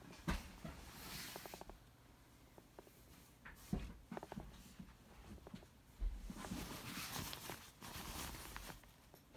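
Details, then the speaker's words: 2017 MacBook Pro, bought about two weeks ago: faint, irregular creaks and small pops in bursts as the lid is moved, a clicking noise when turned; creaking hinge suspected, defective out of the box, AppleCare repair denied twice. "Brand new MacBook. Clicking noise when I turn it. Purchased 2 weeks ago, roughly. No clue what's making that noise."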